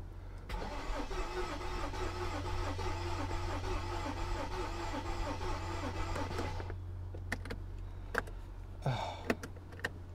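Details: Mercedes S55 AMG, Copart car, cranking on a battery jump pack: even four turns a second for about six seconds without catching; no fuel getting through, fuel pump dead.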